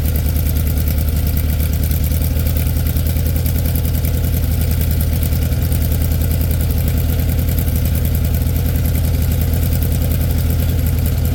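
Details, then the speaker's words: 1967 VW Beetle started cold at about 8°F after pumping the throttle, battery a little low, generator problem suspected. It settles into a fast, even air-cooled chuff at idle with no misses or knocks. Normal cold-start idle. "seem to be having a little bit of a generator problem but I'm sure it's fine it's probably just cold other than that there's a successful cold start"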